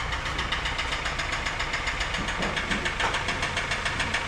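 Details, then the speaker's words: 2016 Kia Sorento 2.0 Theta II at idle after a jump start: fast, steady metallic rattle, three or four clatters a second, called terrible; loose main timing chain slapping, with timing and oil pump chains to be replaced. "And you can see just what I'm talking about here on this noise. Man, it's terrible. All right, let's get it pulled into the shop quick before that noise goes any longer."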